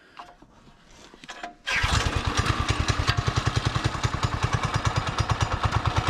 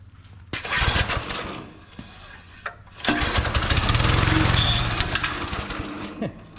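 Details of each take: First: Barn-found Subaru Hyper Fox (Manco) go-kart engine, carb refitted, air filter assembly missing, running on choke: catches after a quiet start and settles into a steady, even thump about three to four beats a second; running normally. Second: Subaru Hyper Fox go-kart found in a barn, small single-cylinder engine primed with fuel squirted into carburetor, choke on; sputters, catches briefly, then revs unevenly before fading, clogged carburetor needing cleaning and fuel system cleanout.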